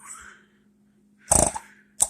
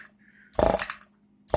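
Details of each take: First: 1940 Chevrolet hot rod power brake vacuum pump after conversion to a one-piece adjustable shut-off relay; short bursts of buzzing, rapidly pulsing hum starting and stopping cleanly; pump running normally and quieter than before. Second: Power-brake vacuum pump, with a vacuum shut-off switch relay conversion, on the bench: two short buzzing bursts about a second apart over a faint hum, the pump short-cycling because of a vacuum leak somewhere in the setup.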